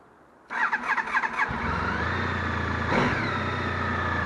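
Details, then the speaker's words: Honda Pan-European ST 1300 motorcycle: short starter churn, catches within a second, then a smooth, even, quiet idle with nothing knocking; the owner says it is very quiet even at high speed. Normal start and idle. "Elle est très silencieuse, elle fait pas beaucoup de bruit, même à grande vitesse."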